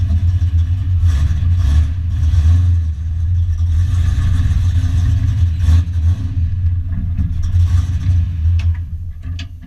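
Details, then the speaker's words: Foxbody Mustang notchback drift car running on a newly installed Holley Terminator X after a full custom rewire, with the idle screw and fuel tables adjusted. Deep rumble rises with throttle blips and settles; it catches and keeps running but still needs tuning. "Glad I got this thing running. So running on Holley and all my wiring."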